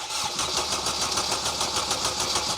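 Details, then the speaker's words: Honda Jazz/Fit with a swapped Civic EP3 Type R K20A engine, cranking at about six even beats a second without firing. Crank, no start; fuel supply is suspected because the fuel pump was heard priming only once. "so the engine cranked which was good news but it seems we were having a real problem with fuel"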